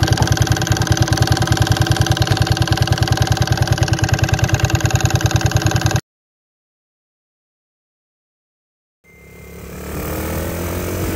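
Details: Small single-cylinder engine after fixing advanced ignition timing (mismade stator plate/flywheel causing detonation ping), pickup coil repositioned: even, steady thumping around 200 per minute with no rattle or ping, runs smooth, then cuts off; normal running.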